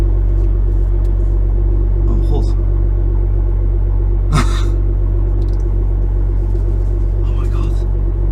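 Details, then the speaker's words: BMW M2 front suspension while turning slowly after wheel bearing bolts, brake caliper bolts, pinch bolt, top strut mount bolts and friction discs were renewed and the inside of the wheel was cleaned; low even road rumble, earlier clicking now gone. "as you can hear the clicking noise now is finally gone"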